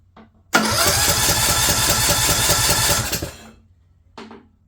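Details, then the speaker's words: Craftsman LT2000 lawn tractor, choke on, solenoid jumpered straight to the battery but no click heard: about two and a half seconds of even cranking, roughly four compression beats a second, never fires. Cranks but won't start; suspected not getting fuel. "give it a little help a little starting fluid and then we'll look at this again yeah just not getting fuel"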